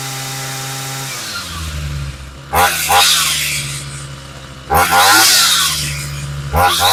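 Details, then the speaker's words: Homelite 26cc UT26CSEMC two-stroke string trimmer after carburetor kit, new fuel lines and fuel filter: settles at steady idle, then snaps cleanly to high revs three times and drops back without stumbling; healthy running and revving. "All right, sounds pretty good. So that was all it really was."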